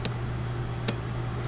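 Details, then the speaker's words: 2013 Porsche Cayenne S 4.8L with a crank no-start, microphone beside the relay: sharp single relay clicks with each crank attempt over a low hum; clicking stops when the relay is removed. The relay is commanded and apparently working. "I'm gonna crank it right now. Again, I can hear the clicking."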